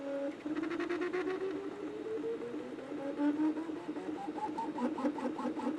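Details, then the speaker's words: Anycubic Kobra 2 3D printer during first-layer test: stepper whine rising in pitch as print head speeds up, hollow droning boom behind it; cheap injection-molded plastic base resonates, amplifying motion noise. "and this is why I don't like it when companies use cheap injection molded bases for their machines because it just adds a bunch of extra noise there's a bunch of additional resonances and basically you get this sound amplification going on and it makes it kind of loud and obnoxious"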